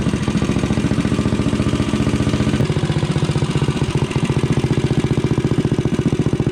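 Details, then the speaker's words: Rascal GT cruiser minibike idling with a newly installed pit bike muffler (bolted to a mount, not clamped, floating in the pipe): steady, even single-cylinder thumping with a mellow tone, just the right amount of noise; normal idle. "So I think this thing sounds fantastic with that pit bike muffler on there. I mean, it's just the right amount of noise with a nice tone."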